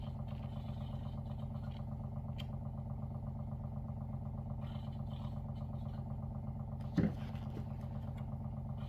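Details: WaterFirst Dr.Water Y countertop 5-stage reverse osmosis purifier, brand new, first-time setup, filtering with bubbles: steady low pump hum with even pulsing buzz, no rattles or strain; normal running.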